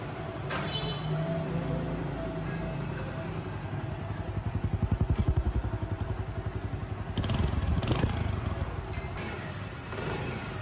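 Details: Honda CD 70 engine after timing chain replacement fixed engine noise: small single ticks at steady, even idle with no chain rattle or clatter; sounds healthy.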